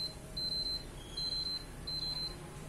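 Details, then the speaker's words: PS4 with an auto-eject fault, with all rear cables unplugged while the button is held to drain static charge. Short high beeps in quick clusters fade as the charge drains; the fix is only suspected. "ah ah sudah tidak bunyi eh masih bunyi dikit Hai terus sampai benar-benar habis"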